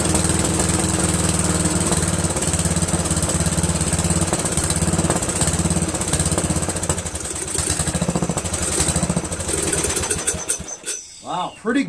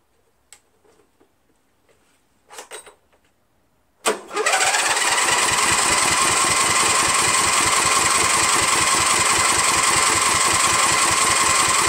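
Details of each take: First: Briggs & Stratton 13hp flathead engine on an MTD Cub Cadet lawn tractor, first run after carburetor replacement; steady even beat about ten seconds without misses, then shut off; runs cleanly, owner pretty impressed. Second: 13hp Briggs flathead on MTD Cub Cadet lawn tractor, no air filter fitted: starter spins steadily at three to four beats a second for eight seconds but never catches; suspected fuel not getting through dirty carburetor.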